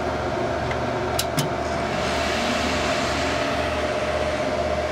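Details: HP Pavilion A1210N desktop after removing the added 1 GB RAM stick and running only factory memory: steady, even fan hum with a faint constant tone and no beeps, then the hard drive is heard reading. Normal startup without beep codes.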